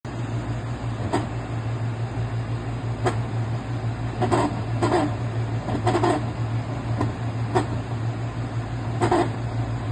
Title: NOMA 10000 BTU Portable Air Conditioner intermittent grinding noise